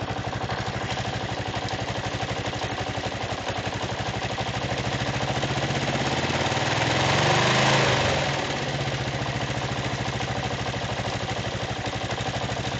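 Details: Kawasaki KLR 685 single-cylinder engine: a steady light tick over the idle that continues through a brief rev. A weak spring on the valve decompressor is causing it.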